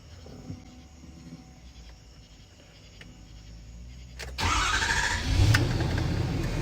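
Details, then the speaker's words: 6.7 Powerstroke diesel started after installing the frame-rail fuel filter and priming the fuel system many times: quiet at first, then fires at once and settles into a smooth, even idle with no misfire or stumble. "yeah she sounds smooth now fellas she sounds real"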